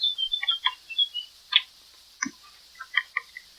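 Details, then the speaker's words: 1981 Evinrude 20 hp outboard throttle linkage: light irregular high-pitched ticks and rattles as the handle is worked, a loose spring inside the throttle grip because it was installed last instead of first. "I can hear the spring in there. So, sure enough, I put the spring in last. It's got to go in first."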